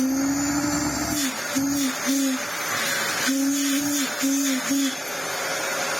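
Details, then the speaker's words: Restored Dyson DC07 Clic upright vacuum running: over the motor hum, a clear mid-pitched whistle cuts in and out in short stretches. Whistling noise; owner suspects an air leak at a seal somewhere, not confirmed. "that noise well I say oh it's almost like it's got a leing somewhere when you hit it sounds like a shark cylinder"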